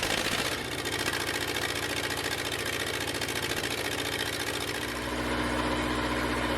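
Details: Red-D-Arc D300K welder generator, Kubota V1902 four-cylinder diesel, restored, after fuel priming: rapid, even clatter settling into steady idle with no misses or knocks; normal idle.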